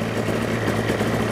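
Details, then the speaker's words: Destiny powered parachute engine during annual/100-hour inspection, idling around 1600 rpm where about 2000 is wanted; low, uneven, lumpy idle under a steady drone; idle speed set too low, to be raised. "needs to be at about three not three it needs to be at about 2 it's at 16 so I'll bring the idle up a little bit"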